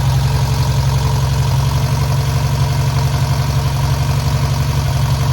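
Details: Newly rebuilt VW air-cooled 1600cc flat-four on its first start and break-in run: even, steady low rumble with no knocks, ticks or misses; healthy break-in run.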